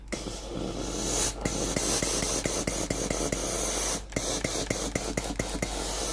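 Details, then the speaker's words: Philips PSG7014 steam-generator iron with a no-steam complaint, during the diagnostic test before the pump is replaced: a steady steam hiss with sharp clicks about every half second. The boiler and steam work normally, confirming only the water pump is faulty. "ถ้าเกิดว่าระบบทุกอย่างสามารถใช้งานได้ตามปกตินะครับไอน้ำออกปกติก็แสดงว่ามีปั๊มน้ำเสีย1ตัวเท่านั้นนะครับ"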